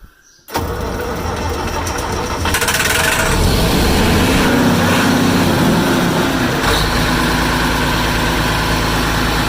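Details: Massey Ferguson 550 diesel, first start since 2019, after bleeding fuel to all injectors and ether at the air cleaner: catches and settles into a steady, slightly rough clatter at about four beats a second.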